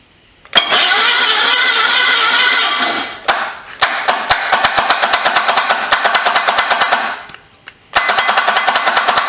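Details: 1974 Datsun engine on a homemade trike, with 30 compression suggesting stuck rings and an iffy, sticking starter: bursts of fast, uneven cranking chatter about three turns a second, stopping and restarting; the engine never catches.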